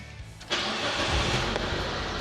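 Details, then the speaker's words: Proton Waja MMC 1.6L 4G18, warm start at optimum temperature: quick crank, then it runs smooth and even with no rev flare and settles straight to idle, slowly dropping; a clean, normal warm start. "Sebab sudah optimum temperature, so dia tak akan tinggi sangat. Terus dia duduk dari sini je. Nanti dia akan slow turun."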